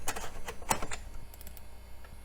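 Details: Floppy drive in an old Compaq system under test: quick bursts of light clicking from head seeks over a quiet background; the drive works and reads normally.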